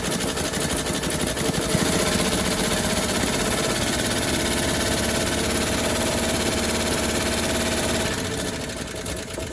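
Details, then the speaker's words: 1957 Chevrolet Bel Air after sitting 30 years, gravity-fed from a gas can: keeps running but with an uneven, lumpy, stumbling beat instead of a smooth idle; rough running. "so wow that's pretty rough but she looks like she wanted to stay running"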